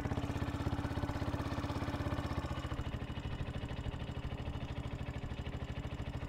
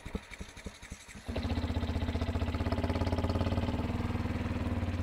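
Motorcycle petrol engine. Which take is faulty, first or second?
second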